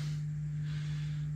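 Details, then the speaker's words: Early rev. green Bogner Überschall amp, serial 86, US 120V model: loud, steady low hum holding one pitch at idle; loud hum, possibly mains, cause not confirmed. "that's quite a loud hum at idle i mean i certainly heard worse but that's that is reasonably loud"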